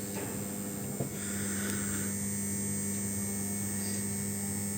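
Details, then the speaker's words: Aprilia RS660 with ignition on during an ECU remap, hazards flashing and warning lights on. A steady, even electrical buzz from the battery charger maintaining power to the ECU and bike; normal. "Yeah, the loud buzzing sound you can hear, I don't know if you can hear it, it's the charger just maintaining power to the DCU and the bike."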